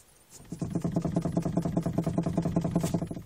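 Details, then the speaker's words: Peugeot 3008, engine off, steering wheel in top position and fully extended: quick run of regular hollow knocks, about three a second, from the column as the wheel is worked; knock lessens or stops with engine running and wheel turned. "Вот в таком положении стук наблюдается."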